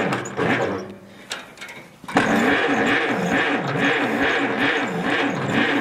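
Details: 1951 Allis Chalmers WD tractor, not run in at least 10 years, cranked after the distributor cap was checked: the starter turns the engine in a slow, swaying rhythm about 2.5 beats a second without firing; cranks, won't start, cause not confirmed.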